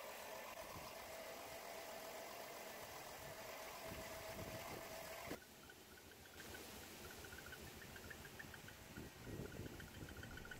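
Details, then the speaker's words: Chrysler Town and Country with 3.3L/3.8L V6 idling rough and shaky, uneven stumbling exhaust pulse; scanner shows cylinder 4 misfire code: single-cylinder misfire heard at the exhaust. "not sure how well the misfire comes out on video but if you go based on the squeaky and exhaust it'll give you a good idea of how shaky the engine is"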